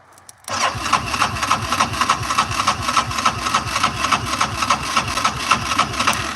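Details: Sat ATV with 1,800 miles, cold, choke off: even starter cranking about three and a half beats a second with no catch or firing; won't start without choke.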